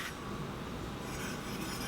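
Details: Heybike Ranger/Mars e-bike front disc brake: faint light scraping rub as the wheel turns, pad touching rotor; fixed by adjusting the caliper about an eighth of a turn to true it to the rotor, removing squeaks and rubbing.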